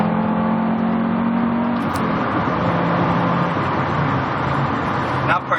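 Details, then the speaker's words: 1991 Audi Coupe Quattro 20-valve, naturally aspirated 7A inline-five, 88,000 miles, all-wheel drive, about 3,300 lb, accelerating on the road: smooth throaty note rising with throttle over road noise, no drone, rasp or misfire; normal healthy exhaust. "it definitely makes a good noise has more than sufficient power for the car which weighs 3 300 pounds give or take depending on the driver"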